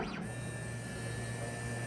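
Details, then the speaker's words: Procolored P13 DTF printer during a head cleaning/purge for a clogged white channel: steady low hum with thin high tone and gurgling as the pump draws ink through the tubes; normal ink purge flow. "makes a lot of noise. You'll hear some gurgling. You might even get a chance to see some of the ink flowing through those tubes moving around."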